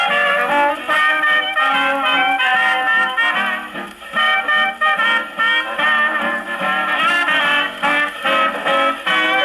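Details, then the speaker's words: Paillard model 302 portable gramophone, suspected late 1930s, with a factory large reproducer and small horn, wound about 40 turns, playing a late-1920s Tommy Dorsey electrical record: harsh, shouty big band with crowded loud notes; the small horn is overloaded. "Let's listen to Tommy Dorsey here, and you'll hear it scream. This record definitely does overwhelm the horn."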